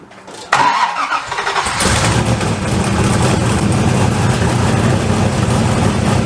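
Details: Turbo LS engine second start after refitting downpipe without double gasket, just tightened more: catches after brief crank, raspy puffing idle with uneven chuffs; exhaust leaking at warped flanges, mostly at the rear.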